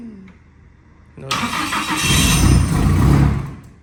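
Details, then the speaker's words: Nissan S14 build, first fire-up after wiring is finished and oil is added, before the dyno: quiet, a short crank, then it catches cleanly and settles into an even running note. It started straight away, a healthy first start. "I was just about to say take your hand away from the fan then it started straight away that's a good sign that means we've put oil in it"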